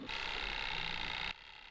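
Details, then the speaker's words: Cheap budget air fryer after half an hour cooking, element had been red hot and smelled of factory: steady high-pitched electrical buzz for about a second then cutting out, repeating on and off; owner thinks it is broken. Intermittent buzzing. "can you hear that? it keeps doing that noise on and off but then I think it's broken."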